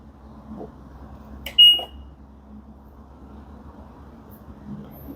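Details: LG front-loading washing machine after main PCB replacement for no-power fault (damaged power switching IC): single clean high beep on button press over faint room hum; controls respond normally; normal control panel beep.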